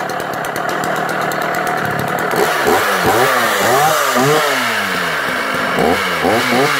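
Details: Sachs Dolmar 133 vintage 85cc German two-stroke chainsaw restarted: revving up and down with coarse rumbling roughness under the buzz; engine now noisy, listed for parts only.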